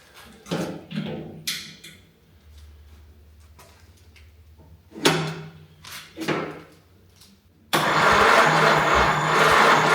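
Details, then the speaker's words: Pre-war jalopy gow job with Ford Model A engine, first start attempt from dash push button, batteries charged overnight, gas dripping from carb: several short starter bursts turn it over without catching, then a rough rushing noise; cranks but won't fire. "Not yet, that's for sure."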